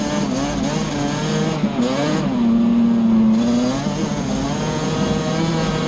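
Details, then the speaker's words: Yamaha Banshee two-stroke twin after its misfire was cured by moving the carburettor needles back to the middle position (new plug caps and a new coil had not fixed it): revs cleanly with a crisp, even note and no missing. "just moving the needles back up to the middle position straightened it out we're gonna take it for a spin now"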